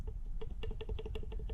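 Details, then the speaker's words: Old turbo removed from a GMC truck, shaft shaken by hand: quick light metallic clicks from excessive shaft play, more than the new Turbonetics 78/75 turbo. "That's the old one. The new one does have some play, but it's just not as much. So you can just kind of hear the difference there."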